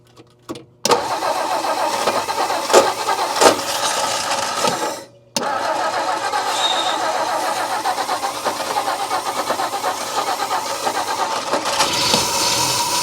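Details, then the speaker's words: 1959 Meteor left for dead in the bush, first start after refitting the distributor rotor and cap: cranks, catches after a brief stall, then settles into a steady, even idle with no lifter rattle. Oil pressure is assumed. "I wonder if it's got oil pressure. It's got to have oil pressure. The lifters aren't rattling."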